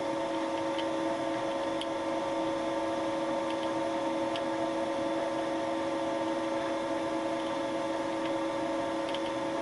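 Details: Repeat, slightly deeper boring pass with Wohlhaupter UPA5 head on a Thiel Duplex 158 mill, table raised, cleaning molten plastic from the lawn mower bearing seat bottom; steady even hum with faint ticks at constant feed: normal boring cut.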